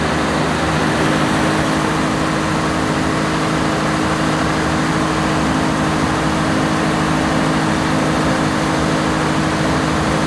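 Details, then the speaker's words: 1106 diesel generator under 100% load after the injection pump droop adjustment that fixed hunting and unstable frequency. The engine holds one speed with no surging, and the governor keeps it stable. "now as you can see how stable our engine is and even if we put the 100 load it's still in a good condition"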